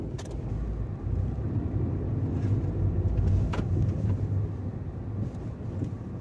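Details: 2019 Tata Tiago XZ Plus, rattling from within a month of purchase, gives low road rumble while driving with scattered light rattles and ticks from the cabin; dealer has not found the cause.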